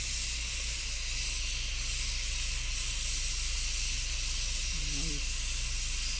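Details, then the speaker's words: Afghan Kazan aluminium pressure cooker on a campfire, first cook: loud, steady continuous steam hiss from the valve while up to pressure, each puff smelling of the food cooking; normal steam venting. "every time that little puff of steam comes out you can smell it cooking"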